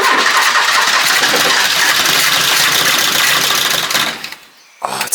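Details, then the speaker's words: 1980s Ford Fiesta XR2 after 25 years sitting, with new fuel pump and lines, refreshed carburetor, a few litres of fuel, and the pump primed: steady fast cranking about 3.5 turns a second for four seconds, never catching. Close, but no start. "It's close. It wants to."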